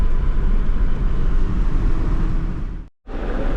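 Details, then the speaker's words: Ford Ranger 2.3 at 65 mph after a full exhaust replacement from the manifold back (cat, mid pipe, muffler, tailpipe) gives a steady low road rumble with no drone or blowing; the exhaust is quiet. The alternator makes a little noise. "Well, 65 mile an hour and you can't even hear the thing running anymore. It's a heck of an improvement."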